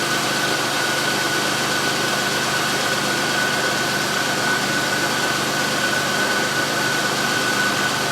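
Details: 2003 Chevrolet Impala 3.4L with intermittent high idle, fairly cold engine, scan tool showing idle air control responding: steady idle hum with faint whine, even without stumbling; valve possibly sticking slightly from carbon, engine sounds fine.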